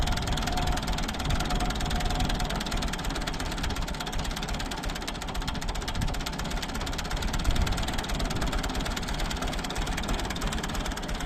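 Diesel chugs along with a steady low clatter and an uneven beat in its firing, consistent with a cylinder missing.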